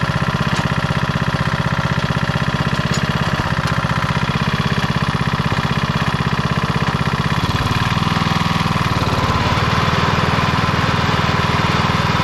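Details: 1991 MTD 12/38 riding mower after a rattle-can restoration, basically finished: it starts, moves and mows. Steady single-cylinder putter at about four beats a second, dipping slightly under load then recovering, no misfires. Normal running.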